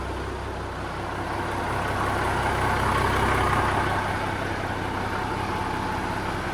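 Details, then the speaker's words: Peterbilt 359 diesel idle after replacing old squeaky belts and noisy fan hub: steady, even idle, no squeals or chirps; nice and quiet, healthy. "So before when this thing was running, it had lots of little squeaky noises and everything else from like the old belts and the fan hub was noisy. Everything was noisy. But now, if you listen to it, she's just nice and quiet."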